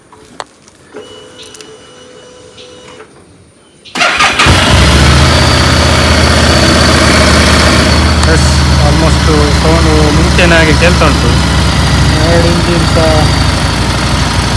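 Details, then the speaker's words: Single-cylinder bike after the spark plug was removed, cleaned and refitted (the engine had been heating inside and not running right): silent, then fires and settles into an even, steady idle with no knocks or misses; correct sound now. "ಇದನ್ನು spark plug ತೆಗೆದು ರಿಫಿಟ್ ಮಾಡಿದೆ ಈಗ correct sound ಬರ್ತಿದೆ"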